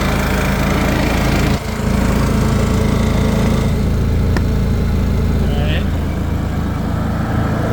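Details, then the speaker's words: Honda EU7000is inverter RV generator, 99 hours, started after sitting a while, heard from behind the unit: steady, even low drone with no misses, knocks or surging, nice and quiet; normal running. "here's what it sounds like back here nice and quiet"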